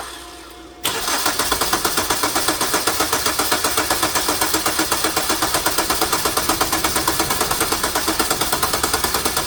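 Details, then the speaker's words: 2009 Hyundai Sonata crank no-start with decent compression and sandblasted plugs reinstalled; it won't fire even on propane, so a mechanical or cam timing fault is suspected: steady cranking about four pulses a second, never catches; exhaust cam was out of time. "i tried running it on propane and it won't fire so it's acting like a mechanical issue i wonder if there's an easy way to control or verify the cam timing is right"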